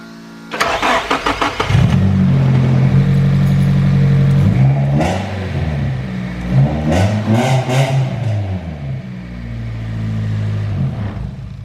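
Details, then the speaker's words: Nissan 240sx with S15 naturally aspirated SR20DE swap: cranks and catches quickly, settling to a steady, even idle with light blips; runs and idles normally. "it does run, it idles, but like I said, we got a couple things we have to do."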